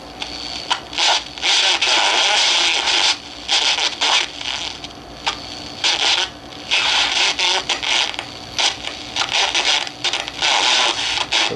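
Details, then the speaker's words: Soviet Alpinist 321 or Rossiya 303 radio on the CB (AM broadcast) band: harsh, crackly hiss in bursts instead of clean audio; it distorts on strong stations, as if picking up something off frequency, cause not found. "Not the best sound on strong stations."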